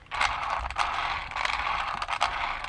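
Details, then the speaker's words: Ram Raider RC car, long stored in a shed, drivetrain turned by hand: quick rattly gear whirring in bursts, all four wheels move; diffs a little noisy but okay. "diffs are okay, because look, when I do that, all four wheels move. So we know the diffs are okay. It sounds a little bit noisy, but we know they're okay."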